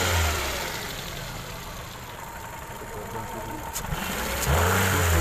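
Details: Petrol car engine running on petrol after all four spark plugs were replaced with Champion plugs to cure a misfire; it revs up, settles and revs again with an even, steady note and no stumbling.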